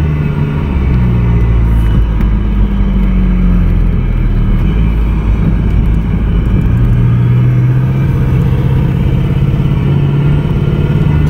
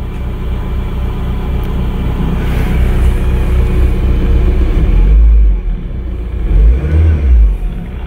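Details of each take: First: 1992 Toyota MR2 project car, now being driven: deep rumble with shifting revs and an uneven stumble under load, skipping badly after first running smoothly. Owner suspects plugs or wires. Engine misfire. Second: 1992 Toyota MR2, sat for many years, on its first fire-up, run briefly with no coolant: deep, even rumble swells with throttle blips and falls back cleanly, no knock or miss. Sounds really good; normal revving.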